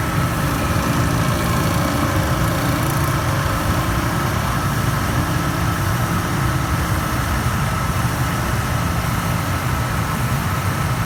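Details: Panda PAN760SF 3.75 cu ft dryer after fan belt replacement: steady rough low grinding with fast chattering rattle and faint high hum; worn drive motor, noise gone after Panda sent a replacement motor.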